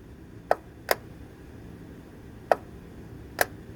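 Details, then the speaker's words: Canister vent solenoid on a 2018 Hyundai Tucson EVAP system, coil resistance 21 ohms (spec 19.5–22.5), commanded via scan tool: four crisp clicks at uneven gaps as it opens and closes, operating normally. "so you can hear clicking open and close so it's operating"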